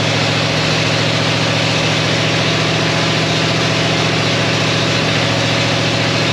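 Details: 1937 Ford with 59 AB flathead V8, straight-pipe dual exhaust, freshly recored radiator: smooth, even deep rumble with no knocks or misses; engine running healthy.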